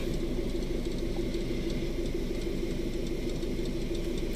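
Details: 2011 Isuzu Alterra diesel after repair of hard starting from a cut camshaft position sensor wire (harness repaired, sensor itself fine, no codes on scan): low, quiet, steady idle with even light ticking, no misses or stumbles; normal idle.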